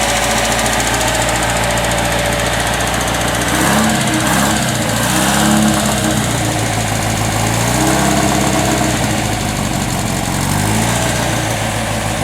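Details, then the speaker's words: 1954 MG TF four-cylinder freshly rebuilt by RNL Engines, dual exhaust, started on a little choke, 50 lb oil pressure: fairly steady, slightly uneven idle, no knocking or rattles; running nice and smooth and healthy. "now that it's warmed up it's running a little nice and smooth as you can see pretty happy okay"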